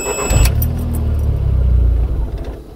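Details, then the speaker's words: Mk1 Audi TT with fuel pump fuse 28 pulled to depressurise the fuel system before pump removal. A low steady engine drone sags and dies within seconds; engine stalling from fuel starvation. "okay so and then it's turning off again"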